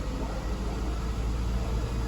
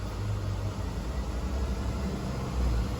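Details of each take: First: 2009 Honda 2.4 with misfires on cylinders 2 and 3 at idle and transmission not shifting. Revved lightly with A/C off, a deep rumble stumbles irregularly, and live data shows only cylinder 3 missing. Cylinder 3 misfire. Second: 2009 Honda 2.4 petrol after crankshaft (CKP) sensor relearn: steady raised idle at 1900–2000 rpm, even low rumble, no misfire on cylinders 2 or 3 (previously misfired with A/C off); A/C off.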